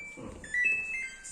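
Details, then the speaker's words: Samsung washing machine showing dE error: a few short, high, unevenly spaced panel beeps; a broken wire at a connector was found behind the back cover and spliced, a switch to be tested; door/lid error alarm. "ครับอาการขึ้นดีนะครับแเดี๋ยวผมจะทำการแกะฝาหลังนะครับ"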